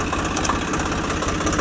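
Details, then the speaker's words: Swaraj 744 FE tractor idling with no load, gearbox noise present in all gears, worse under field load: rough constant gear rattle over the diesel idle; stripped PTO drive shaft gear teeth and a failed bearing. "ఇది gear box లో sound ఉంది అన్ని గేర్లలోనూ sound వస్తుంది"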